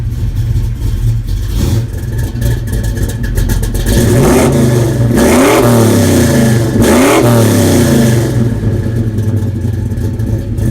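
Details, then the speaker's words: Holley Sniper EFI newly installed on a 396 big-block, one of the first starts: fuel pump clicks on and off at key-on, starts right up; deep even V8 idle, two quick blips, drops back cleanly, spectacular throttle response. "Boy, she starts right up. Throttle response is spectacular."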